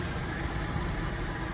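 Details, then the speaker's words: Toyota Kijang Innova with AC on after compressor service, previously growling and found with no oil left: steady even idle hum, compressor now runs smoothly with no growl. "ini setelah dilakukan servis kompresor dan hasilnya halus suaranya sudah enggak ngorok"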